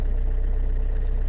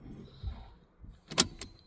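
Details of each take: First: Vauxhall Insignia diesel that had no start and no fuel pressure, now with a new in-tank fuel pump and air bled out; steady, even run with a smooth low drone, no misfire, knock or surging; runs normally. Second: Vauxhall Insignia with no start, no codes and no fuel pressure, brand new fuel pump just fitted: ignition clicked on and off, pump hums faintly with an uneven gurgle as air purges from the fuel lines.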